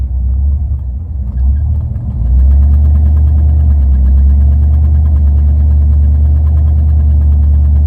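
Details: Steady low idle with an uneven, lumpy beat about four times a second underneath; the engine is idling rough, cause not clear.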